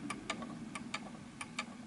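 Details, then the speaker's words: 1920s 8-day Napoleon hat antique mantle clock during beat adjustment while tilted. Ticks come in close pairs with long gaps, a lopsided tick-tock: it is out of beat. "that was uneven, but we're going to push it a little bit further to the left and then swing it."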